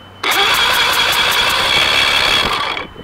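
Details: Mariner 150 outboard with water in it and cloudy fuel, plugs out for compression test: steady starter whine with even compression pulses about five per second, a good cylinder cranking, unlike weak cylinder four.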